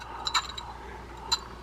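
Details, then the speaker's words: Penn Spin Fisher 700 saltwater spinning reel, flea market find, turned by hand: a light tick about once per turn over a faint scrape. Suspected cause is a missing washer under the rotor, or a knocked, out-of-round rotor scraping. "You're hearing that we got a click on the side, a rub. That oftentimes means that there's a washer missing underneath here. Sometimes it means that the rotor got whacked and it's out of round and it's scraping against that."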